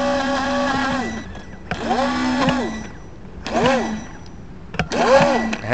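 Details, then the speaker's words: FT012 RC boat motor revs high but the boat barely moves and is slow to accelerate; motor whine climbs and falls in bursts; set screws, prop and shaft checked fine, owner suspects the motor. "all right I've been having problems with my ft012 RPMs go crazy but the bolt goes nowhere nothing is slipping"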